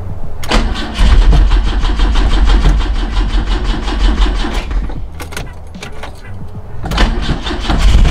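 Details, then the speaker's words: 1973 BMW 2002 after Seafoam and timing adjustment: engine catches and runs with a rough idle rumble, then dies and sputters when the windshield washer lever is pulled; owner suspects a short affecting the distributor, cause unconfirmed. "if you pull this egg acts like a kill switch or something maybe it's like a choke let me start it up I'll show you"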